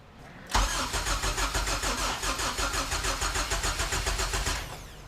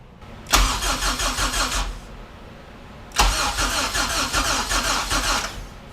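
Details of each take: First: Honda EK hatchback with a zero-mileage HPD K24Z7 racing engine swap, first start attempt: the starter cranks evenly for four seconds but it never fires. Crank no-start, suspected no fuel, possibly a missing jumper; not confirmed. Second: HPD K24Z7 racing engine freshly swapped into a Honda EK hatch, coils removed to prime oil through the head: two brisk, even cranking bursts of about 1.5 and 2.5 seconds with no firing, and the battery sounds strong; normal cranking with ignition disabled.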